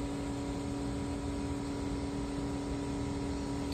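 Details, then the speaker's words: 2016 Mercedes GLC, key on then off: loud, constant rush of air over steady hum that never eases. Fan and circulation pump share a LIN bus; communication fault codes won't clear. Cooling fan stuck at full speed. "but anyway you hear the fan running constant there's my fault codes again"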